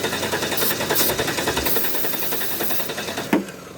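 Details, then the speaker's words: 1992 Chrysler LeBaron Convertible, 3.0 V6 with electrical issues, starting fluid sprayed: steady cranking about three and a half turns a second, never catches, then stops; no spark, owner suspects the distributor's ignition parts. "she's got no spark that she so the same thing happened to the damn Dodge the pickup trucks happened to this car huh"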